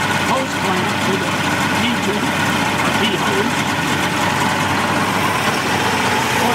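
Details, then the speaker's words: 1988 Mercury 70 hp inline three-cylinder two-stroke outboard on ears after carburetor work, clean fuel reaching the carbs: steady, even idle with busy two-stroke rattle, slight smoke, no misses or surging; running healthy. "sounds good now that the clear gas is starting to get in there"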